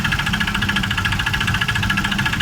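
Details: Honda Vario 125 (old model) scooter, engine running with the CVT roller housing disabled. Fast, even knocking rides over the idle with a hard metallic edge. The owner suspects a worn connecting rod and piston, and a worn connecting rod bearing is knocking at idle.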